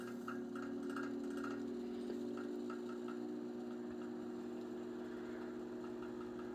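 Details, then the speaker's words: Circa late-1930s–1940 Chicago Electric Handybreeze 12" table fan, model 314, two-speed oscillating, running on low with the oscillator engaged at about 0.4 A: steady hum with a light, quick knock about four times a second, attributed to worn motor bearings; it also labors a little. "The bearings also show some wear. That's what that knocking sound"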